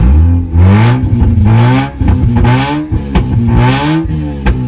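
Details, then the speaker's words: Manual Mazda RX-8 rotary bought as non-runner, fixed by adding fuel pump fuse and replacing both leading and trailing spark plugs; starts right up, revs smoothly, pitch following throttle, no knocks or misses. "Ooh, man. Started right up. See? It's crazy."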